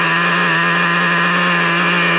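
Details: Traxxas Revo 3.3 nitro RC on break-in fourth tank, low-speed needle on the slightly lean side, reading just under 300: steady high-pitched buzzing idle, even note, no hunting or misfire; normal idle.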